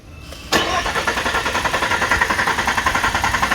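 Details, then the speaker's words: 2023 Nissan Frontier after front-end accident, crank no start: starter spins engine evenly but it never catches; spark present, no fuel at disconnected line, no fuel pump action even when commanded via fuel pump control module, blown pump fuse. "so if you saw the test we got spark and under the fuel line nothing not even a drop so we've got no fuel pump action"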